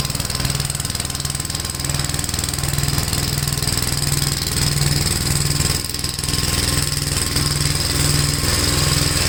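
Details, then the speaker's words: Gravely tractor with brush hog mulcher deck, PTO engaged after remounting deck and adjusting clutch: steady small-engine drone, quick even pulse about four per second under deck load; runs really smooth, no vibration. Normal running. "wow if anything this sounds cool plates are still spaming well it runs really uh smooth no vibration"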